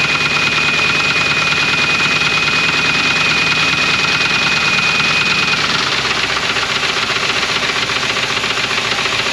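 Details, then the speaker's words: 1980 Dodge truck, sitting about 18 years and known for a rod knock, first start on fresh gas fed to the carburetor: rough smoky idle with a heavy, irregular knock about twice a second under a harsh exhaust. "her family has success she's smoking and knocking that's perfect good job"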